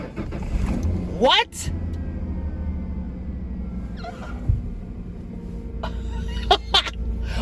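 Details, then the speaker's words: Ford F150 pickup with manual clutch, in neutral, after suspected starter solenoid clicking (starter tested good) and taping a damaged bare positive wire. Brief crank, then catches into a steady low rumble: normal cranking and start. "all right that's pretty dang exciting i don't know what happened but i know she's fired up now"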